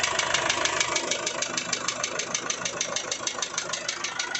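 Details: Isuzu 4JH1 diesel at idle with sharp, very regular clattering knocks in time with the engine, well above normal combustion noise; engine knock of unknown cause.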